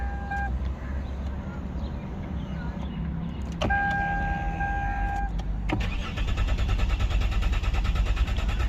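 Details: Lexus GS300: a chime, then even cranking at about three pulses a second that never catches; crank-no-start, fuel pump suspected.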